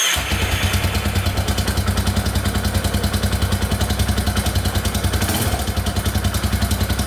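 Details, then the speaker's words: 2001 Yamaha Warrior 350 single idling after its very loose exhaust valve was adjusted: top-end ticking gone, knock down, but a light timing-chain rattle remains underneath, so the engine is to be torn down. "alright so the ticking in the top end went away but i can still hear it a little bit by the timing chain so we're just gonna tear it all apart and take a look"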